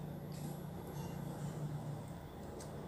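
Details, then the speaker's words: Dead ASUS X453M laptop board powered at 19 V, no response: thin steady high-pitched squeal over low hum, attributed to a shorted chipset. "Kalau bunyi berdecit halus, itu adalah kerusakan chipset. Pasti chipsetnya nge-short ini."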